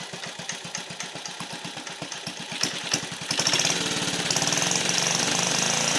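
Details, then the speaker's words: 1950 REO small engine after badly worn ignition points were sanded (no replacement set): starts first pull without choke, quick catch then steady popping into an even, rapid idle with no misses; runs cleanly. "It starts right up. I didn't even have to choke it that time. Look at that. First pull."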